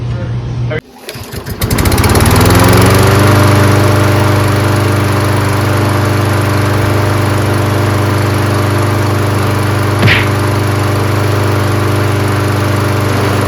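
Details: Toro 22-inch Recycler mower with Kohler engine, just fitted with a new HIPA replacement carburetor; starts on the first pull, then settles into a steady, even single-cylinder drone with no misses or surging. Normal running.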